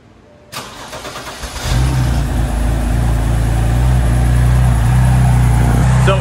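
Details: 2009 BMW 328i, about 112k miles, bought as non-running with a suspected bad fuel pump. The starter whirs briefly, it catches within a second and settles into a steady, even idle; spilled oil smokes as it burns off.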